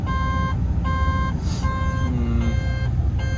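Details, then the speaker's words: Plant machine with a diesel idling: shrill warning beeps, about half a second on with brief gaps; diagnostics show no active events; mechanic wonders about thumb wheels not returning to neutral; cause unknown. "No active events. I don't know why that's beeping at me then. That's strange, that."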